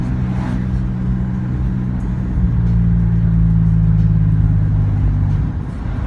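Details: Japanese-import Toyota Aristo 2JZ-GTE twin turbo, no codes or smoke: steady whine that lifts with revs between 1,200 and 3,000 rpm under load, supercharger-like; suspected turbo whine, cause not found.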